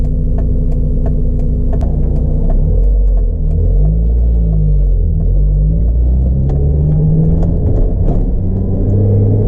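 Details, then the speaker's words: 1997 Mazda Miata while driving: engine rumble with scattered light metallic ticks and rattles from the engine bay; owner suspects a loose metal block-off plate, not confirmed. "it's a little bit of a rattle coming from the engine bay not really sure what it is I don't know if you can hear it in the video"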